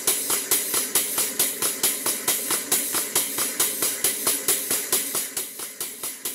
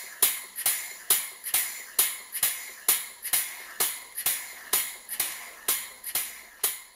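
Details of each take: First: Model 12-inch Southworth steam pump, now running after shuttle piston pushed to bottom of stroke: steady chuffing about 136 strokes a minute under a loud constant hiss, steam leaking from the bottom steam-cylinder gland, an easy fix. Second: Model 12-inch Southworth steam pump with burner gas turned off so only the engine is heard: sharp even clicks about twice a second, normal running.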